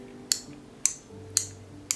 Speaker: my mechanism works and all I got to do is rewire it